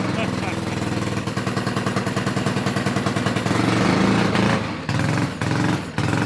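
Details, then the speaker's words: Honda 5HP overhead-cam engine on yard go kart, after carburetor cleaning: revs up and pulls, but sags and drops out each time throttle closes; governor or carburetor linkage suspected, unconfirmed. Engine will not idle. "For some reason, we don't have any idle. It's don't just. have any idle at all."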